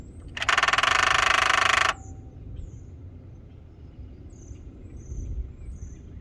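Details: 2012 BMW X5 E70 xDrive35i 3.0: loud fast buzzing rattle from the engine bay for about 1.5 seconds, then stops; happens on its own but more often when locking or unlocking with the key fob or opening the rear hatch; cause unknown.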